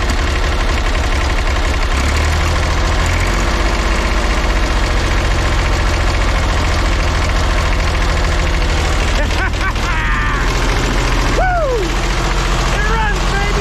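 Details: Old diesel vibratory roller compactor, first run after sitting 30 years: runs rough at mid throttle with an uneven, stumbling beat, a bit smoky; owner thinks it is missing on one cylinder.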